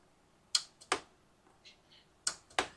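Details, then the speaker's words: Yard-sale Husqvarna riding mower, key turned on: sharp metallic clicks in quick pairs as the carburetor's anti-backfire fuel shut-off solenoid opens to let fuel to the jet, normal operation. "that is the sound we want when you first turn the key on this little solenoid pops open it sucks a little piece down in there and lets gas through to the jet"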